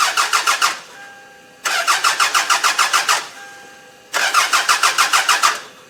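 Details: 1995 Toyota Camry demolition derby car that suddenly stopped running, fuel gauge empty: three bursts of fast, even starter cranking at about seven pulses a second, never catching; crank-no-start.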